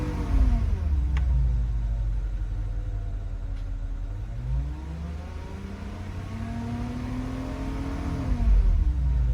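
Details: Porsche Cayenne Turbo 958, heard from inside the cabin while revving: a thin turbine-like whine rising and falling with the revs. Owner wonders if it is normal or a pulley, bearing or timing chain; cause unconfirmed.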